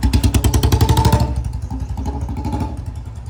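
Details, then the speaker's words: Royal Enfield Bullet 350 after chain lube and brake and clutch lever lubrication: steady single-cylinder thump fading as the bike eases off, no chain whir or clatter; chain now running quietly. "अब आया भाई मज़ा, बिल्कुल 0-0 sound हो गई चैन की।"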